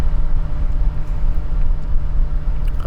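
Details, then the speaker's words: 2017 VW Golf Alltrack (MK7) HVAC blower at max speed: rough, uneven low drone and scraping flutter instead of a smooth whoosh; worsening over weeks, sometimes shuts off completely; failing blower motor, replaced. "But anyway, my blower fan on my AC started making this noise a couple weeks ago, and then it would also sometimes switch off completely."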